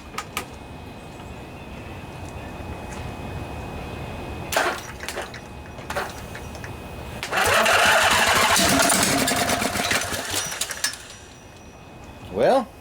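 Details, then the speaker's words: Briggs and Stratton Intek twin-cylinder 20-25 hp junkyard engine left outdoors, no carburetor fitted, starting fluid sprayed in each side, cranked from a truck battery with a 50 amp charger: starter churns, then a short ragged burst of firing that dies. "I think that's a good sign. It wanted to start. Put a little more starting fluid in here."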